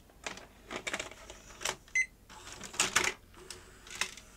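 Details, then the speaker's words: Panasonic AG-4700 S-VHS deck with TBC (K-mechanism) with a tape inserted; scattered clicks and short uneven motor whirs, no lacing run; cassette fails to half-lace; mode switch suspected, loading motor stalling thought less likely. "I'm short it should half lace now didn't it"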